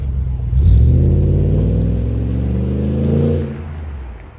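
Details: 2006 Jeep Grand Cherokee WK 5.7 L V8 with Magnaflow exhaust after cracked front muffler was replaced with a Magnaflow glasspack: deep exhaust rises smoothly on the rev and settles back, even with no puffing or ticking; no leaks.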